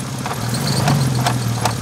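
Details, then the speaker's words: MK5 VW R32 6-speed DSG with 200,000 miles, on deceleration: low steady hum with sharp clicks about every 0.4 seconds; failing bearing inside the transmission, which also locked in second gear with flashing PRNDS light. "I bought this MK5 R32 for cheap because on deceleration, the transmission sounds like this."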